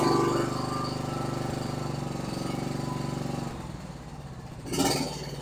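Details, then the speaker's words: John Deere Z465 zero-turn with Kawasaki V-twin that sputtered and ran on one cylinder after running out of gas; after carburetor cleaning, tank cleanout, new fuel lines, spark plugs and fresh gas: even, steady chug with no misses; healthy. "we cleaned out the tank put new fuel lines on it and new spark plugs should run like a Top Again I hope"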